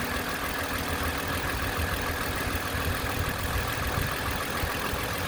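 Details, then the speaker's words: 2010 Toyota Camry XLE after water pump replacement with original pulley kept, coolant about two lines above cold level: quiet, even idle with soft steady hum, no knocks or squeals; only valve noise heard, failing-pump noise gone. "night and day all you hear is the valve where my right hand is i don't hear nothing definitely the original pulley nice right i mean i'm happy"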